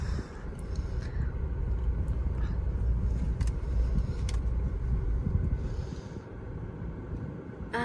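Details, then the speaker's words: 2018 Toyota Fortuner 2.4V on the road: only steady, low road and engine rumble through a tight right turn, with no knocks or creaks from the suspension, which sounds normal. "อันนี้ก็เข้าคงทางด้านขวามือนะคะไม่มีเสียงแล้วนะคะ"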